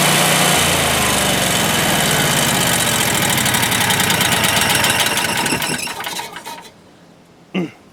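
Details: Generac home standby generator running with no load, then winding down as it is set back to auto mode: steady, even drone with no misses or knocks; healthy.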